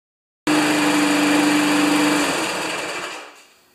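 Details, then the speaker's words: 1992 Wedgefield mower with Briggs & Stratton Classic engine: starts and runs steadily but pitch sits below full governed speed, about 3000 rpm, before winding down; low maximum speed after throttle cable adjustment. "that's good it's only revving at 3 000 rpm since i played with the cable"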